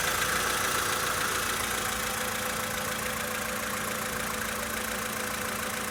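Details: 2013 VW Polo Sedan Sochi Edition, 65,000 km, cold start idle: steady fairly regular knock about four times a second over the engine hum; engine knock when cold, source unknown.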